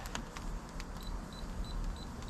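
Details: Moisture meter on a heavier split piece from the bottom of a standing-deadwood crotch, outdoors: short high chirps near 4 kHz about every third of a second over low rumble, beeping as readings run 19 to 20.1 percent.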